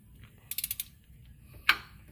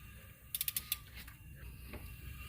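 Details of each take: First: Pontiac 3.6 L timing chain with cam phasers, engine turned by hand from the torque converter: light ratcheting clicks, then one sharp, solid phaser pop. It is louder on this bank, and the chain is now tight. This is a normal cam phaser snap. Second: Pontiac 3.6-litre engine turned slowly by hand: bank 1 cam phaser slipping, leaving slack in the timing chain; two quick clusters of sharp pops, the second louder, as tension is applied and the chain snaps tight.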